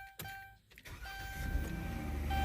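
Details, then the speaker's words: 2014 Dodge Grand Caravan after replacing the faulty starter (previously only clicked, battery tested good): short crank, engine catches and settles into steady low idle with no clicking; normal start after repair. "mom vehicle is alive its alive everybody alive my hard work has paid off"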